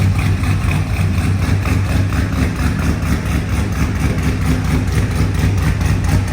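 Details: OBS truck V8 at a steady, even low idle with no misses, knocks or ticks, on its newly built and welded exhaust, which sounds much better than the open headers; healthy normal idle.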